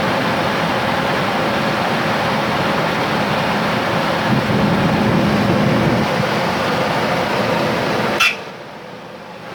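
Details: 1997 Ford Expedition after a cold start in the morning: steady coarse rasping whir with no clear knock rhythm, running evenly until it cuts off abruptly; grinding noise of unknown origin.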